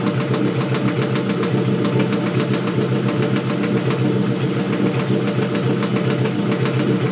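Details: LS engine with VTEC head at idle: a light, roughly regular knock of about two a second. The owner suspects rod knock but is unsure.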